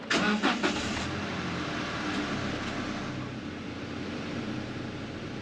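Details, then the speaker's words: 2009 Toyota Hilux Workmate 2.7L petrol, first start after a service with oil, fuel and other filters changed: a short crank, then the engine catches cleanly and settles into a quiet, even idle with no knocks or squeals. Normal start and idle. "oil is full time to start it up make sure that there's nothing in the engine B that's going to get caught"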